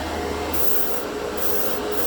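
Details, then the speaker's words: Budget Master dual-action airbrush (0.3 mm) with 18 PSI portable compressor, spraying 1:1 thinned Tamiya paint: air hiss surges unevenly in half-second bursts over the compressor drone as pressure drops and rebuilds, so paint spits. "I get that burst. Oh, wait, coming through a little bit better now."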